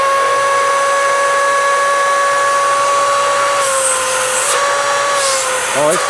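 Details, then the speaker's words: Curbside Dyson Ball vacuum, previously weak suction, after repair: steady high motor whine with even airflow rush, no surging or rattles; suction now much stronger and healthy. "definitely definitely got way much more suction."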